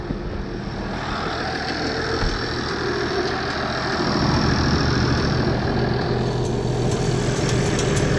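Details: 1979 IH 1086 tractor diesel at steady idle after replacing the transmission oil cooler lines, started to check for leaks: smooth low thrum, no knocks or misses; running healthy.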